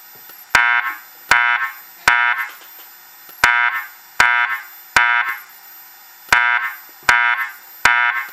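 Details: System Sensor SP1W24110ADA flush-mount speaker strobe under test: groups of three loud chirping tones with pauses between sets, a normal temporal-three evacuation signal.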